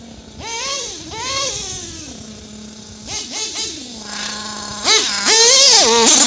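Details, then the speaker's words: RB-modded Nova 28.8 nitro engine in a Teckno RC car, about 80°F day but engine still cold, being tuned: high whine blips and stumbles coming off idle; owner suspects too lean on the bottom end, though he also thinks it runs rich. "Uh-oh. I think it's too lean on the bottom end. I can hear it."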